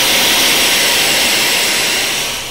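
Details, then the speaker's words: Behringer audio mixer bought August 2013, recorded April 2014: loud steady static hiss from the speakers with all channels muted and effects turned down; the hissing stops when the master volume is turned fully down. Cause unknown. "static toys that static noise is coming out of the speakers but as you can see everything is muted no sound coming out of anywhere so what is that horrible sound effects"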